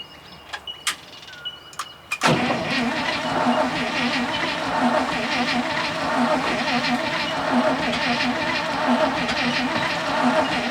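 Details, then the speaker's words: 1966 International ACCO truck, petrol V8 with 2-barrel Holley, long stored on old fuel: after a few clicks the starter spins it steadily for eight seconds without catching; has spark, owner suspects flooding and stale fuel. "Had spark, just wouldn't fire. Old fuel too, I suppose."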